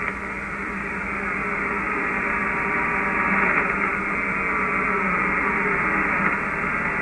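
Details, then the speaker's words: Ham radio receiver on medium wave near 474.2 kHz: steady raspy buzz with fast pulsing edge under receiver hiss, interference traced to the internet provider's ungrounded fiber terminal where service enters the house; the noise was later eliminated. "I'm trying to decode whisper on medium wave as you can see we're on for 70 4.20 and I've got noise for that you can hear it to hear that buzz and as I tuned across the area there it is"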